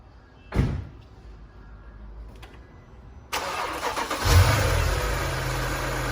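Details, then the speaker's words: 2008 Mercedes CLS 550 after spark plug and coil tune-up: starter catches quickly, steady even idle with no misses or knocks; healthy start and idle. "And it starts. Start. Keep your RPM letter high. That sounds healthy. It's all good."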